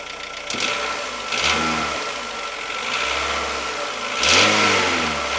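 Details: Renault Logan 1.6 8-valve 2007 engine blipped a few times, dull irregular knocking rising with each rev; driven about 20,000 km with the knock, cause not yet found.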